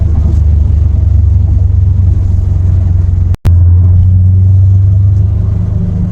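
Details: Subaru WRX after wheel bearing replacement: steady low road rumble while driving, no hum or growl building with speed; bearings healthy, noise gone, normal road noise.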